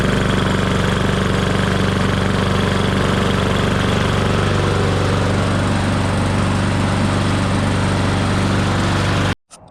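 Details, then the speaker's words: Briggs and Stratton engine running steadily at constant speed with an even buzz, no sputter or surge, then shut off; normal running after replacing the crankcase breather reed to stop oil leaking from the air box. "okay so now we know it runs let's have it off so you can hear me"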